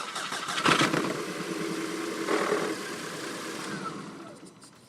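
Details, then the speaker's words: 2008 VW Passat 2.0T at start-up and idle: cranks and catches into a rough, uneven, clattery, diesel-like idle with a misfire. Faulty coil packs are suspected and tested by swapping in packs from a 1.8T Jetta. "okay so her I hope you heard the sound it's basically has a misfire like I mentioned earlier it's kind of sounds like a diesel even though it's not a diesel"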